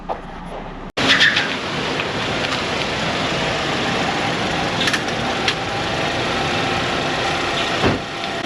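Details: Engine running after being refitted on its mounts in the shop, before a transmission fluid and leak check and test drive. It catches and settles into a steady, even, smooth idle amid workshop clatter. Normal.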